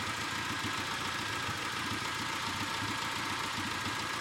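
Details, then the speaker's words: Petrol engine idling after a DMSO engine oil flush: smooth and even, with only light quick fuel-injector ticking; a slight bottom-end noise remains when cold. "nice and smooth as far as engine sounds go the only thing you can hear now is fuel injectors"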